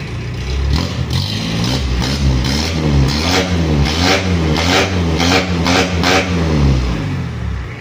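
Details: Mitsubishi L300 diesel after injection pump overhaul and 12mm rotor head upgrade: deep note climbs and falls evenly through quick blips, no knocks or misses; healthy engine revving cleanly.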